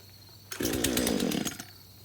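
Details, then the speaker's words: Craftsman chainsaw, first start after about five years sitting in a shed on a little leftover fuel, catches and revs raggedly for a second, sags and quits, then refires; won't stay running, having trouble picking up fuel. "all right so it's like it's having trouble picking up fuel"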